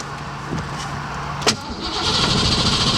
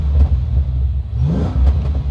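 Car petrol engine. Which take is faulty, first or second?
first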